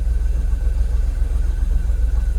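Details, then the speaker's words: Jaguar XKR (X100) after swapping Bank 1 aftermarket coil packs for genuine used Denso units, fuel system now in closed loop with no fault codes: smooth, even low rumble with no misses or hunting; normal idle. "we're idling I've got no Faults we're at a good Idol"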